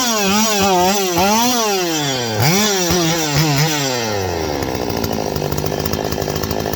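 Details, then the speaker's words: Stihl 025 two-stroke chainsaw: the revs climb, then the pitch sags and stumbles down each time the throttle opens, so it bogs after rev-up. A lean vacuum leak is suspected, tested by squirting 2-cycle fuel mix around the saw. "All right, so I'm going to get this thing started. Now, you see that? How it falls on its face?"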